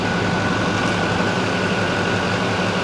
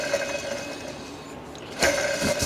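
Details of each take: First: 2006 Chevy Silverado 2500HD LBZ Duramax diesel, after new fan clutch, AC compressor clutch/pulley and fan idler pulley: steady even diesel idle clatter with no belt chirp or squeak. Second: 2006 Chevy Silverado 2500HD LBZ Duramax, belt and fan removed, fan idler pulley spun by hand with mic close: dry gritty whir and rough ring as it coasts; worn idler bearing believed cause of belt squeaks.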